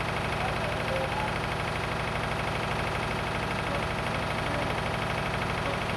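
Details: Lister diesel driving the emergency air compressor aboard the M/V Steve Irwin, warming up before being loaded, exhaust condensate drain closed: slow, steady thump about three beats a second, evenly spaced with no extra knocks; normal idle, all looking and sounding good.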